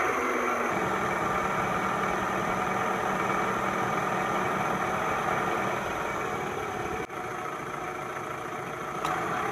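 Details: 2000 Toyota Camry four-cylinder, harmonic balancer job (first noticed as a faint squeal with the AC on): an even, steady idle with a smooth low drone, no knocking, wobble or belt squeal heard.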